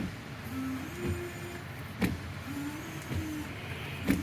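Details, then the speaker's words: Car windshield washer pump after thawing a reservoir of frozen washer fluid: faint thin electric whir in short bursts with a couple of clicks; pump motor running normally. "let's go around the pump and see if we get anything liquid coming out all right come on baby oh i hear the motor running"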